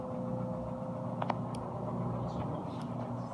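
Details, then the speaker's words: Whirlpool Duet front-load washer with direct-drive motor, final spin of a normal cycle: even low drum rumble with a faint steady motor hum building gently as it picks up speed, drain pump audible, no grinding or banging; healthy spin-up. "it's picking up speed just a little bit you can get a motor down there way down there you can hear the uh the mother and all kind of stuff"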